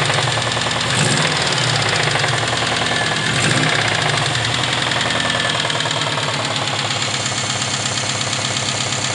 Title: subaru ej20g engine knock